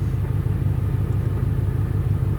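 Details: Auction Ford Explorer idling rough after sitting: deep lumpy rumble with uneven surging beat; scan shows system failure, crappy O2 readings, throttle at 19; owner suspects throttle position sensor, unconfirmed; leaking valve cover, toasty smell.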